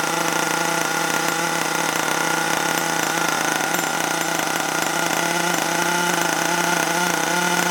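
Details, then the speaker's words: HPI Savage 21 nitro RC truck after being drowned, started with throttle open: high, steady buzzing drone holding an even pitch with no misses or sputters; the engine is running cleanly at open throttle. "running well now though i'm pleased with that"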